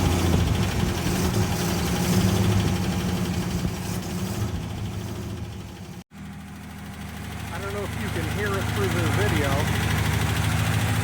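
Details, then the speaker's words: Engine after headers cut off and the exhaust reworked: steady idle with a quick, even puffing tick of about three a second over the exhaust note; owner suspects a manifold leak at the back, then says there's definitely an exhaust manifold leak. "I'm pretty sure it's got an exhaust leak somewhere on the manifold here. I can just hear it. Pretty sure it's in the back."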